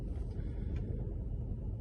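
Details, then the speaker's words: Mercedes E63 AMG V8 after gluing split coil pack rubber boots (cylinder 7 misfire code): deep even burble with steady low rumble, no stumble or skip; misfire gone, no engine light. "Got some good news, there's no more misfire. It's a strange one, but yeah, it's running sweet, touch wood."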